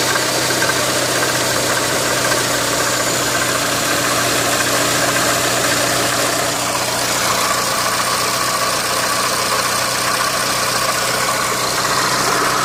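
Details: Renault Megane 2 engine, loud busy idle with a dull knocking buried in the engine clatter at steady speed; engine knock, cause unclear.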